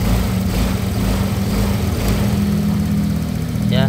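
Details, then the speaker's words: Honda Vario 125 scooter after replacing the crankshaft bearings to cure a rough rumbling engine: steady, even, very smooth low idle hum with no knocking or rattle. "nah perhatikan suara mesinnya ya ini sangat halus"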